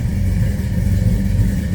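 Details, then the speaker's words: 1973 Dodge Charger, 440 V8 with MSD ignition, Holley carb and cam: deep throaty rumble with steady lumpy cam lope, even and strong; normal idle. "Nice throaty sound out of that 440. Listen to this."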